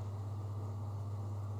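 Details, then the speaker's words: Hotel bathroom ceiling exhaust fan heard from the adjoining room: steady low hum near 100 Hz with faint drumming; the fan vibrates to the touch, and the shared ceiling is suspected to carry it. "as in the bathroom but here so some like a little drumming sound I hope you can hear it so analyze this thing why is it noisy here in the room with it if I touch the fan I can feel it vibrating"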